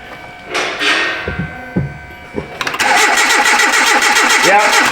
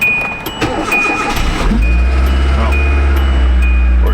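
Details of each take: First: 2010 Hyundai Accent, no-start again after starter and front O2 sensor replacement: steady cranking in short bursts, a couple of weak coughs, no catch. Spark checker shows no spark on that cylinder, others assumed the same; injector pulse doubted, no fuel smell. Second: 2010 Hyundai Accent after no-start repair, cold start at minus 2 degrees outside: brief crank then quick catch into a steady, even idle with no stumble; normal cold start, fix confirmed.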